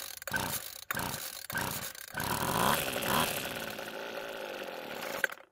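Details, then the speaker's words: Weedeater two-stroke trimmer with a worn-out air filter removed, started on fuel poured into the carb throat: a few pulls, raspy buzz runs about three seconds and dies; fuel starvation. "luckily it started and ran for a few seconds which is great news"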